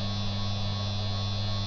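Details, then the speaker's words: Higher-quality 3kW water-cooled Chinese spindle with better bearings, low runout, at 6,000 rpm during stepped run-up to 24,000 rpm: smooth steady low hum, no rumble or rattle; healthy. "the reason I'm speaking in this video is to give you an idea of the sound level as a refence point so starting with a spindle on the right I will increase its speed in 6,000 RPM increments to 24,000 RPM"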